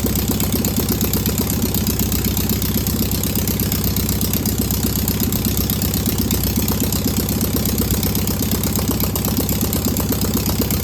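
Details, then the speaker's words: Single-port flat-four engine idling after its first start on a known good carburetor: even, steady, quick regular beat with no knocks or misses. No smoke or leaks, a clean, healthy running engine. "That's a good running engine right there. That's got a lot of good a lot of good positive things to it. That's great. That fired right up. Didn't smoke."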